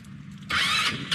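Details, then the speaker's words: Vento Max 200 scooter at engine start: harsh metallic scraping flares about half a second as the starter spins, then eases; owner suspects a dry starter needing removal, cleaning and lubrication, which fixed the same noise on another scooter. "При запуске двигателя появился звук такой, скрежет."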